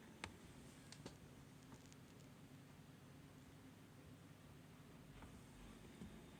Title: no loud noise after my PC has been restarted..